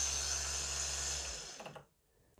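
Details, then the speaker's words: Mercedes W210 ABS pump tested by jumping relay pins 30 and 87: steady high electric whir for about a second and a half, then clean stop; pump motor working properly. "so let's see we should hear the pump work right now and we do"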